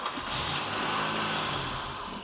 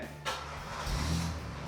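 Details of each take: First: Buick LeSabre that sat for a long time and won't start: with carb cleaner sprayed into the intake as artificial fuel, the engine cranks, briefly catches and sputters, then dies. Ignition works and it is starving for fuel. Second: Buick LeSabre that sat a long time and wouldn't start (fuel pump issue); after repair a short crank catches at once and rises to an even, steady run with no misses; normal start.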